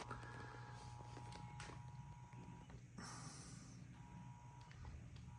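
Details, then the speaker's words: Heathkit 1144 power supply, with its replaced 3055 transistors, running a Ten-Tec Omni 6 at full transmit on 17 m, about 75 W into the antenna, roughly 20 A, dropping 28 V to 13.8 V: steady low hum with an intermittent thin whistle. It hums under load but works. "Okay, meter says about 75 watts out. And that's into my antenna. And this thing is humming a bit, but it's working, so."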